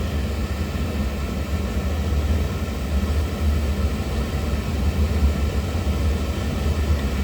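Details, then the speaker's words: Intermittently shutting-off oil burner, pump pressure reset to factory 140, after cleaning and oil solenoid replacement: steady even low roar, no surging or flicker; burner runs normally while the tech is present. "Pump's holding steady at 140. No flickering, nothing. Kind of coming on. Coming on. Shutting. I mean, everything's working fine."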